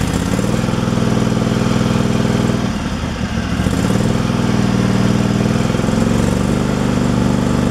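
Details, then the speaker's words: Craftsman Pro mower after new carburetor and 4.5mm gasket spacer fixing throttle linkage, air filter off; steady drone at even speed with only a brief soft dip, no hunting; surge fixed, normal running. "it sounds like it's running pretty smooth where it's at so all right it's not surging"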